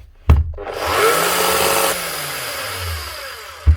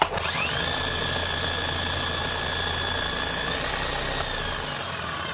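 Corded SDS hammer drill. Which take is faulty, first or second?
first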